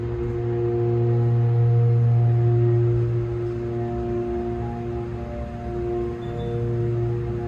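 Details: New MEI elevator at Target in Glendale, WI, installed a couple of months earlier: its motor gives a steady loud low hum with faint higher tones and is now much louder than when new.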